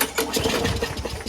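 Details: Single-cylinder lawnmower after winter storage, after a quick carburetor clean: quick ragged popping as it fires and catches, settling into a running beat. It now starts fine.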